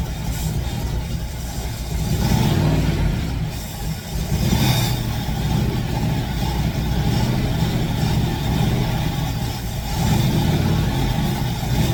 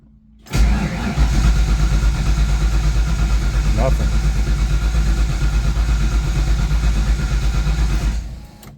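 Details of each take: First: Fox Body Mustang ("Black Widow"), long-sitting, now runs clean with a deep rumble swelling on throttle blips and settling evenly; smoke clearing, owner suspects bad gas had sat in the fuel rails. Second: Fox Body Mustang ("Black Widow") after long sitting, slightly drained battery: starter churns evenly about eight seconds, engine never catches, not even a bark; spark later confirmed present.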